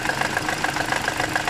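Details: Toyota Corolla petrol engine idling with a steady, quick knock about seven a second, coming from the alternator.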